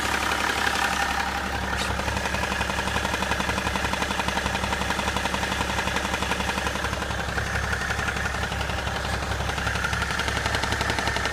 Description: BMW E61 11/2004 535d - Knocking sound from the front of engine - seems to be most loud in the level of the intercooler - what can it be?